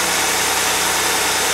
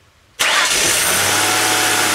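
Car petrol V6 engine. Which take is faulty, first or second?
second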